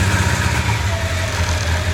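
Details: 1995 Honda CB750 Nighthawk running on three cylinders because the cylinder 4 carburettor jet is clogged: lumpy, uneven revving with a hollow missing beat; single-cylinder misfire.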